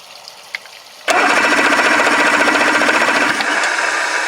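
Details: 1984 Grady White Overnighter 20 outboard with three two-barrel carburettors, fuel leaking at distribution block, water hose on: fast steady starter whirr with rapid even clatter, never catching; cranks but won't start.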